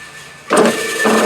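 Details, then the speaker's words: TIDA T4A electric motor run on an extension cord (108 V, drops about 7 V) after swapping the red and black wires. It kicks on and settles into a steady, even, clean hum with no labouring; the motor runs normally despite slight stator wear from a nick. "I swapped the red and the black wires cross your fingers and your toes you know that sounds better right away"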